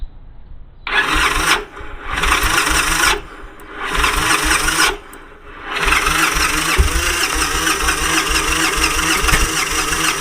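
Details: Victory Kingpin motorcycle with spark plug wires installed in reverse, front to rear and rear to front, battery good and fuel pressure primed: starter cranks in bursts around four turns a second with no firing; no start from crossed plug wires.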